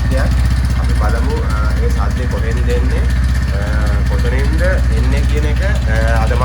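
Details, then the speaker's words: TVS Ntorq scooter idling, after an earlier starter clutch repair, with fast steady ticking about four per second over the engine; owner says it cannot be the starter clutch this time and suspects the head or engine, unconfirmed. "මොකද මේක මේ පාර starter clutch එකෙන් වෙන්න බෑ මේක අනිවාර්යයෙන්ම head එකකින් හෝ එන්ජින් එකකින් හෝ වෙන්න පුළුවන්"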